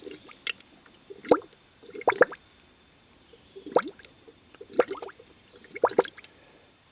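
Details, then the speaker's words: 1999 Honda Accord V6 EX, about 160,000 miles, stone-cold engine: steady gurgling bubbles in the coolant about once a second with cylinder two pressurized to about 75–80 psi, confirming a blown head gasket. "there we go through the ground comes a bubble in crude me so we do have positive confirmation that's solar number two has a leak"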